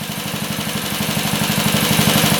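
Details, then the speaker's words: Motorcycle from an online auction that had not run in a long time, idle screw set 1/2 turn out, restarted on choke after shutdown: a little cold-blooded but fires back up, steady even idle with no knocking or misfires; normal idle. "Choke it again. A little cold-blooded, but she fired back up."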